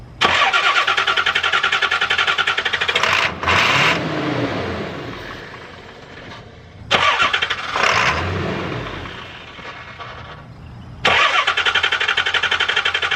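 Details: Diesel truck just refitted with injectors, cranked in intervals to purge air and fill the injectors on possibly weak battery power before trying starting fluid. Three bursts of fast, even cranking with pauses, and it never catches. Crank, no start.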